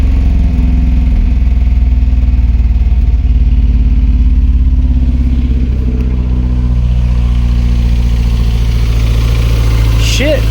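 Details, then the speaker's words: 1988 Jeep Comanche, Renix 2.5L I4, AX-4 4-speed, after replacing fouled spark plug and refitting coil and fuel pump relay: uneven lumpy idle with stumbling beat, sounds as bad as before; one cylinder low compression causing misfire. "I think we're good, man. That sounds just as shitty as it did before. All right. It was just a spark plug. Maybe. Ah, maybe not. Doesn't sound great."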